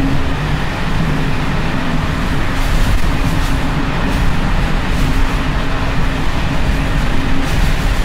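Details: Evening express run on uneven Czech line 190 (České Budějovice–Plzeň), between Hluboká nad Vltavou and Číčenice, in coach Bd264 481 (built 1979), recorded from the compartment or an open window. Loud rolling roar with irregular rattles and knocks as worn Görlitz V bogie brake gear bounces.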